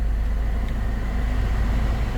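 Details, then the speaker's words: 2006 Honda Accord (7th gen) after an Android head unit install, with the unit's car profile set to 7th-gen Accord so the A/C controls work again: a steady low airflow rush with a faint constant tone and no rattles or squeals. Normal blower operation. "Once you do that, the controls for your AC unit down here at the bottom, they'll start working. And you can hear the air conditioning coming out of the, you"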